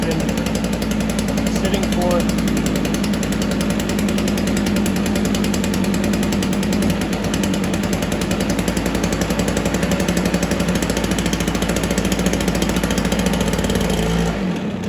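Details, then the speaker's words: Stihl BR430 two-stroke blower with dirty spark plug, started on choke and primed: steady busy drone for about fifteen seconds then stumbles and dies; runs only with choke on. "sounds like it wants to run with a choke on"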